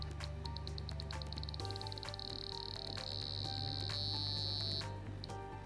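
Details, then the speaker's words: Sedatelec PREMIO 32D dental soft laser with the laser test plug fitted; continuous quick clicking on emission, then a steady beep as the beam hits the test cell, showing normal emission. "press the on/off button then the emission button you will hear a continuous clicking sound apply the laser beam to the laser test cell"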